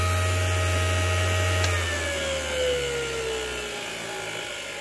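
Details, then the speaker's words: ART-13 transmitter dynamotor, shut off at the bench power supply after its first run. The hum and whine drop smoothly in pitch as the rotor coasts down, with no grinding or scraping. A normal, healthy spin-down. "all right you can hear the things spin down so look this is this is the battle this is the battle and so far it looks like we've won this battle"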